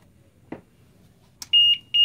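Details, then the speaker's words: After a switch click, two piercing high beeps from the power supply's short-circuit protection as a graphics card with a PCB short is tested in a PC; the shorted card trips the supply. "Okay, looks like we have a short on this one. Hopefully we can find it, where is the short, because this is my power supply, actually make this sound when it's beeping. It mean there is a power short."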